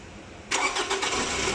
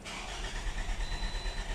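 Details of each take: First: 2018 Toyota RAV4 after repairing damaged, shorted crank sensor wiring that caused crank-no-start: starter catches cleanly after half a second and settles into a steady, even idle with no stumble or misfire. Normal start and idle. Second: 2018 Toyota RAV4 crank-no-start: starter spins the engine with an uneven churning beat, about three turns a second, but it never catches; fault traced to crank sensor wiring.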